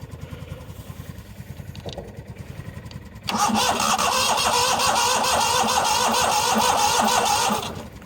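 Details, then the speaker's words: 1998 Yazoo YTKC22 three-wheel mower, very cold day, gas probably bad: starter cranks steadily about three turns a second, then harder, but engine never catches; no-start, owner suspects safety interlock or ignition switch, probably interlock. "yeah she sounds a little bit I think she wants him she wants some mayor don't know yeah definitely interlock or ignition switch probably interlock"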